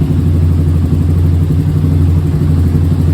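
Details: Yamaha Raptor 660 after valve check, carb clean and tune-up for bogging from second gear up, bogging now gone: steady, even low thump at idle, no stumble or hunting; normal idle.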